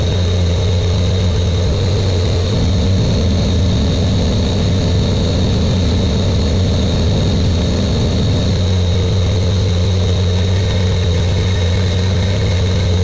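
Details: Buick Grand National with new engine, third and final 10-minute cam break-in run: steady, even low drone at raised idle, no misses, knocks or squeals; normal fast idle.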